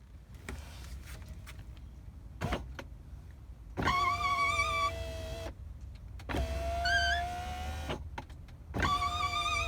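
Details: Mini Cooper R56 power window regulator squealing with a high wavering tone as the glass moves up and down; fixed after removing the whole regulator assembly from the door.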